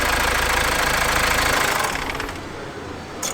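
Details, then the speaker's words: Chevrolet Aveo, oil cooler replaced a month earlier, cranked and run: rough fast slapping about four per second, then shutoff; seized alternator pulley no longer spins and jerks the accessory belt, which was torn; needs new belt and alternator pulley. "Rares: is it the alternator reel? Dragos: yes! Rares: since I saw that ... Dragos: ... it doesn't really spin, anymore ... Rares: ... seems stuck."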